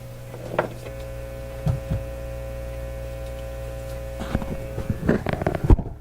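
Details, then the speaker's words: Nordmende Elektra F13 tube radio with reported fading output: only a steady low mains hum with scattered clicks and no program audio; output stage seems fine, one of the radio stages suspected of going quiet. "you know it doesn't sound like me like the output stage has gone quiet that sounds like one of the radio stages has gone quiet"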